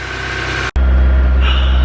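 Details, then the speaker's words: Honda S2000 first start after new gaskets and spark plugs to fix oil leaks: smooth steady low idle, even beat, no miss, lope or ticking; healthy. "Dang. Sounds good, man. Super healthy. Super healthy."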